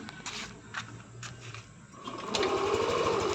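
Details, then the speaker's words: Yamaha NMAX V3 155 scooter, 9,500 km, after repair of a burnt error-12 fault with long wire, new battery and check engine cleared: starter whirr and clicks, then it catches and settles into a steady, even idle; starts cleanly, runs smooth. "Smooth na ulit yan."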